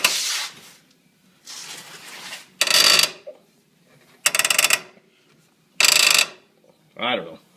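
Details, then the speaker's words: Polaris RZR after installing new S ATV radius arms: short, dry ratcheting creaks with a faint click each time the suspension is pushed down, set off by only slight movement; owner suspects the radius arms or the piggyback shocks. "i can feel vibration a little clicking that coincides with the noise when a guy goes up and down on the shocks and very little movement will set it off just a few pounds of"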